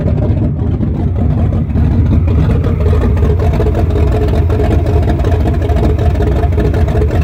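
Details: 1974 Chrysler Newport, slightly tuned 440 V8 with open headers, first start after rebuild with new bearings: deep, loud rumble with even lope and steady revs, no knocking or ticking; normal running.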